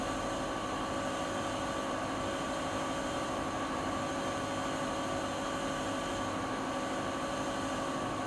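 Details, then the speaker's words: Siemens iQ300 washer (WG41A1X1TR, 1000 rpm, 9 kg per title; spoken as 10 kg) in a 13-minute spin, peaking mid-cycle. Steady high whir and even motor whine, no knocking or grinding. About 72 dB spinning; normal, not silent. "Fakat şöyle söyleyeyim, makine sıfır sessiz değil. Yani çoğu zaman geri dönüşüyor. Ben sıfır sessiz diye almıştım ama makine ses ver diye. Öyle bir durum yok yani, sıfır sessiz değil. Sıkmadayken 72 desibel sesi var."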